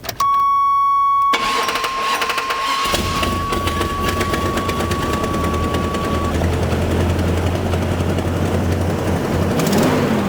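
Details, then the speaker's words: 1985 Chevy K10 Silverado V8, running again after a new distributor assembly: warning chime, start, then idle with a raspy, ticking exhaust leak at recently installed headers needing new gaskets and bolts. "Yes, it does run again, but as you guys can hear, especially you gearheads, there's an exhaust leak. It runs good, it runs really good, but there's some exhaust issues."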